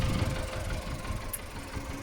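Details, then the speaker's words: 2002 VW Lupo 1.0 MPI: low, uneven idle that lumps and wavers instead of holding a smooth beat, engine visibly wobbling, cause unclear; rough idle. "this is a 2002 vw lupo 1.0 mp mpi um the hoopy runs a little lumpy i feel"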